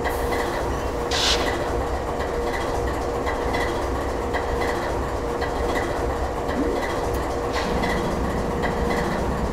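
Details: GE 7FDL16 diesel at low or even lower idle: deep, slow, even rumble with a steady low beat and no knocks or misses; normal low idle.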